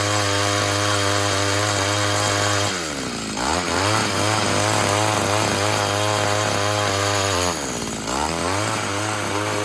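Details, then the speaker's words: Tecumseh TC300 two-stroke Eskimo ice auger, compression just over 90 psi, drilling test: crisp steady buzz, revs dip twice as the bit bites then recover cleanly; pulling well under load. "as you saw there it seems to be working pretty well"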